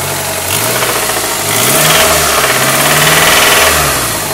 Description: 1998 Honda Accord EX 4cyl Vtec engine noise